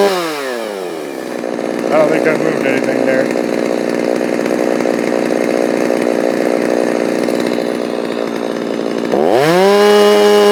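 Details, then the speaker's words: Stihl MS390 chainsaw with aftermarket HiPa carb replacing Walbro OEM, tuned slightly leaner from about 12,200 to 12,500 rpm, no-load: steady high-pitched full-throttle scream with slight burbling break-up at top; normal four-stroking, owner thinks maybe still slightly lean. "Alright, there's 12,500. And you can hear it kind of floor cycling at the top end. You know, kind of as I get wide open."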